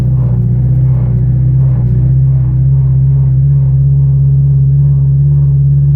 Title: Eg exhaust leak power loss